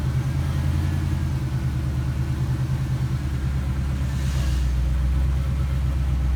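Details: Fox Body Mustang 5.0 V8 after water pump, timing chain and larger alternator replacement: steady, even low rumble with no knocks, misses or ticks, just before shutdown ahead of a road test; settles into a smooth, healthy idle.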